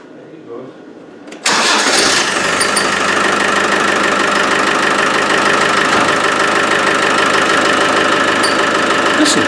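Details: Land Rover 110 300Tdi diesel, engine/gearbox/transfer case rebuilt last year, developed a squeak: engine catches and runs steadily with a fast, light rhythmic chirp; persists with belt removed, something rubbing, source unconfirmed, radiator and front to come off.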